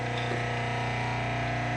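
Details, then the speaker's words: Craftsman 101 12-inch lathe, previously replaced motor, run with the belt removed: steady electric hum with a fast even throb of about twenty pulses a second, showing the vibration is in the motor itself. "and then we're just going to leave it like that right there, and we're going to start it up again. Alright, we have a vibration,"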